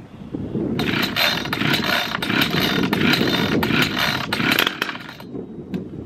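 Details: Brand-new ECHO CS-620PW 27" professional chainsaw on its very first start after unboxing, with no fuel run through before; started via decompression valve and choke, then fires into a fast, buzzy, steady run with no stumbling or misfires. Normal running.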